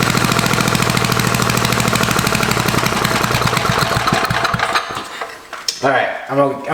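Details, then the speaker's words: Barn-find Tecumseh 4-stroke small engine (probably about 5 hp), electric start, rewired with points and ignition rechecked, freshly refueled with carb set better: single cylinder chugs unevenly for about four seconds then dies away; runs but needs carburetor tuning. "make it into a running little motor that actually is not horrible it needs tuning but it starts really easy and it's electric start"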